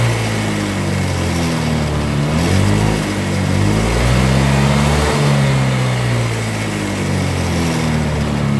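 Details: Honda Vario 125 scooter stumbling intermittently under throttle, revs wavering and dipping. Spark plug was replaced, fuel pressure and scan data looked normal, the fuel pump was suspected, and water was found in the fuel tank.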